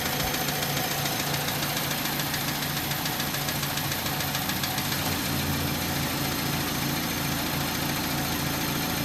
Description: My 2004 Hyundai tiburon is making a ticking noise stops then goes I'm thinking bearing but it's weird how it stops then comes back any help would be great its a 2.0l